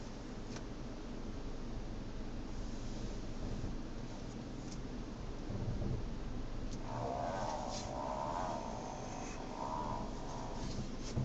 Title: Avante fast steering sound